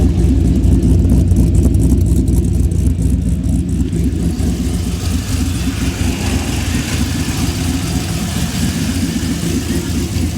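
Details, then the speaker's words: Chevy Blazer big-cam V8 with newly fitted 2.5-inch exhaust, much quieter than open headers: deep loud rumble with lumpy cam beat, revs swell and settle evenly; running healthy. "Well, I got the exhaust done. It's a lot quieter now."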